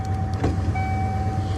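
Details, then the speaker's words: 1996 Ford truck with 300,000 miles and an intermittent power window that works some days and not others: a steady motor hum with a thin whine as the glass travels. It works here, and the intermittent fault isn't audible. "where some days it'll work, some days it won't."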